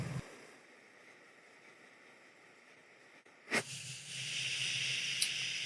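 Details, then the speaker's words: Primus Express Spider multi-fuel stove on liquid fuel, shut down by flipping the fuel bottle to its off position: quiet lull, then a pop and building hiss as the flame burns out and the bottle's overpressure vents normally, purging fuel. "And there it burned out, and you can hear the overpressure from the bottle is letting out. So what actually happens is that the fuel intake is now in the top of the bottle and sucks air instead of fuel."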